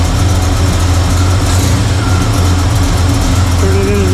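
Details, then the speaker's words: 1985 Chevy C10 with Blueprint 350 V8 at idle after air-fuel screws turned in a quarter from 1.5 turns: low, steady lope, no misses; timing good but vacuum still low (~10), owner suspects a vacuum leak. "Still, know what to do with this thing. Sounds pretty good. Timing's good. Vacuum's not great."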